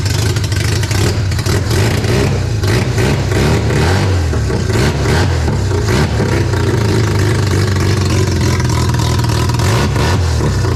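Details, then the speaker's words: Mazda RX-7 barn-find 12A rotary after sitting for years, carb flooding from suspected faulty needle and seat: strong, even buzzing revs rising and falling cleanly with no misfire or knock, free revving. "what an absolute great feeling to see some rotary Flames uh be deafened by rotary noises and um yeah the shop smells like rotary fumes"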